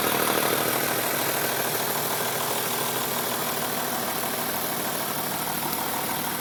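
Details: BMW M3 3.2L at idle: even idle with a light, fairly regular ticking rattle about three per second over the engine hum; owner suspects a VANOS problem, unconfirmed.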